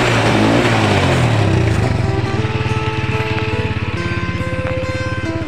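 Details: Single-cylinder carbureted motorcycle after its carburetor pump jet was cleaned, having previously died when throttled. It revs up cleanly and settles to a steady idle with no hiccups or stalling, with music in the background.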